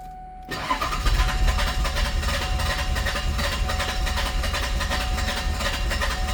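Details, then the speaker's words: Warm diesel car cranking long with all glow plugs working, fast even chug about three beats a second but never catches; hard start, cause unknown, ether considered. "Yeah. And that's with uh with all the glow plugs working. Oh yeah. Now it's really mad. Yeah. It's pretty frustrating this car."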